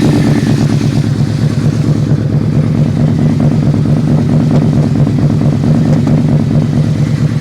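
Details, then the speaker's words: V4 motorcycle jump-started and idling a little cold: a deep, steady V4 burble at constant idle, firing evenly with no popping or stumbling, healthy. "Great sounding bike, V4. It's a little cold."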